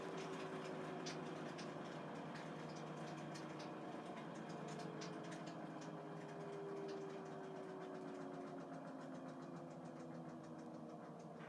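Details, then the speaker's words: 11-year-old Samsung WF419AAW/XAA front-load washer, after repair of tub wobble, spin banging and no-drain: steady, quiet hum with faint tone, even and free of knocks or banging; drum spins smoothly at high speed after the fix. "so here it's going good high speed and walk with my feet so that's a satisfying fix"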